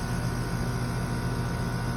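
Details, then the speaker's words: AC unit about three or four years old, not cooling, suspected failed Chinese-made capacitor: steady, even low hum of the condenser compressor running with no clicks or stutter, its distinctive normal sound. "so it's in there you know create the power distinctive sound of the compressor"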